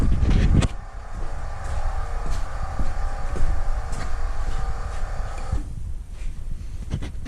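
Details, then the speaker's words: 2008 Trailblazer SS with a new Dorman rear air suspension compressor, air springs and sensors: steady low buzzing hum that never cuts out, raising the rear to about 34.5 in against a 33 in spec. "so I heard the compressor kick on and you saw the video watching it go up waiting for it to stop and it just kept going and going and going"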